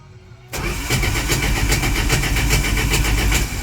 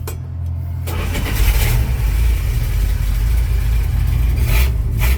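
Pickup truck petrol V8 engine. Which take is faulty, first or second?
first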